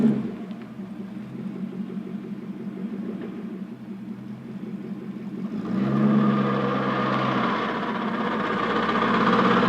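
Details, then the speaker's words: Porsche 928S reversing cold after 4 hours off and 1 minute idling: steady ratcheting clatter about three clicks a second, like a roller-coaster chain lift, growing louder; normal when warm; transmission failed months later and was replaced. "To me, it sounds similar to, well, a roller coaster going up a chain lift."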